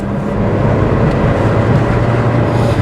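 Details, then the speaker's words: 2005 Toyota Matrix 1.8L, over 400k miles, P0171 lean code, on test drive after repair: strong even pull with smooth rising drone, no stumble; far peppier than the earlier sluggish running. "Oh, that's already feeling a lot more peppy than it was. This is definitely running better now. It's got quite a bit of pickup"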